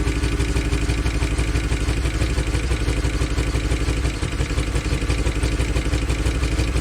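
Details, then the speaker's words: 2013 Chevy Tahoe ex-police LS V8 on fresh battery, good oil pressure; idle lopes with stumbling beat about three times a second; random multiple cylinder misfire, cylinder 1 deactivation codes; owner suspects stuck DOD lifter. "as you can see it's most definitely got a bad Miss in it"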